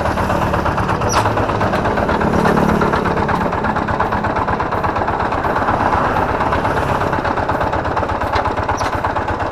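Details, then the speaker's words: Kubota G3000 diesel tractor, runs and starts easily with good power and compression, idling with a harsh uneven knock about three per second; worn flywheel-side bearing NF308 found pitted on teardown. "Suaranya sangat kasar sekali ya ini dimungkinkan menurut saya ini bisa jadi ini adalah lakernya atau piringnya dimana piring yang dekat dengan roda gila"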